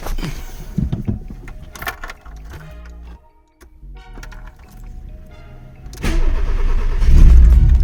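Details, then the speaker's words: VW Polo with a Pierburg 2E carburetor and a weak battery: slow, laboured cranking that never catches, even with jump leads. Finding: faulty, dragging starter motor; replacing it with an identical used starter fixed it. "Se queda frenado, tío. No arranca, tío. No tiene fuerza ninguna."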